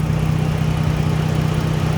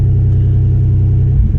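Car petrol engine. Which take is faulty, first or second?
second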